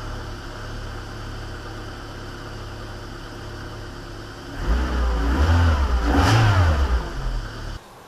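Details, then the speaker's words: Citroën AX 16V track-day car, first start in over a year after cooling and fluid work before safety inspection. Cranks briefly, catches cleanly and settles into a steady, even idle with no misses or knocks; normal start and idle. "and as it turns out it starts just fine so yay that's good"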